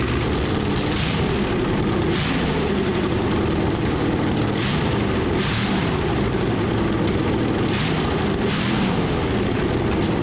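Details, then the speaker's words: Bone-stock ~100,000-mile 1986 Chevrolet van 350 small block, crank pinned, new plugs and intake gaskets, blower fitted, open exhaust straight out of the heads: loud raw steady rumble firing evenly, no knock or miss; flames from all cylinders, seems to run well. "It seems like it runs pretty good, but it's kind of hard to tell with earmuffs on and straight out of the heads."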